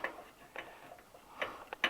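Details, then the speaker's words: Small tractor engine with an unexplained foreign noise: sharp metallic valve-train ticks, about five in two seconds, from a loose valve adjuster, which quieted once tightened. "вот зажатый а вот отпущены смотрите вот это звон и дает"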